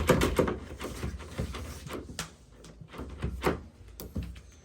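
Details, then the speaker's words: Lever door handle that used to squeak when opening and closing, waking a sleeping child. After oiling it with cooking oil, working the lever gives only soft latch clicks and thumps, with no squeak. "ไม่มีเสียงแล้วนะคะทีนี้เราก็ให้ลูกนอนปุ๊บแล้วก็ปิดประตูนะคะปิดเสียงเบาเบาๆค่อยๆดีนะคะ"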